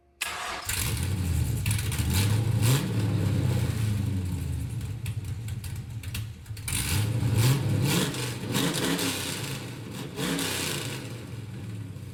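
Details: LS-swapped Camaro V8, test fire after repair with new 3-inch X-pipe exhaust, no mufflers; catches at once into deep loud burble, clean throttle blips rising and falling smoothly; runs fine.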